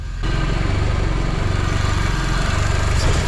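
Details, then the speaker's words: K24-swapped Honda Civic hatch with turbo wastegate, warming up: steady even low idle, smooth pulse, no hiss or flutter; exhaust leak heard only on throttle, not idle; quiet engine bay, only muffler deep. "the engine bay sounds so quiet and the only deep part about the car is the muffler and even that is not like super loud"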